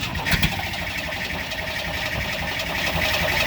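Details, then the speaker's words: AMC Jeep engine starting and idling with the exhaust manifold left unbolted, leaving a gap: loud, raspy puffing and ticking from a massive exhaust manifold leak, before manifold replacement. "I will change out the exhaust manifold and then you can hear the true and utter sound of the whole AMC without the giant exhaust leak like always"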